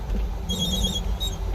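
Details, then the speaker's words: REVA G-Wiz with lithium-ion conversion after about eight miles of repeated steep hill climbs; thin high whine in short bursts over drive hum as the overheating inverter clamps amps near cut-out, owner suspects gearing causes excess current. "only then did i start to hear the inverter clamp down on the amps and it makes a weird frequency sound when it's doing it so i was close to cutting out"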